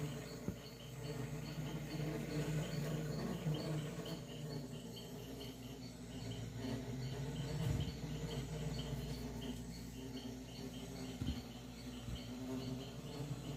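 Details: Refrigerator making a steady low buzz like a swarm of bees, with a faint, fast chirping tick underneath; cause unknown.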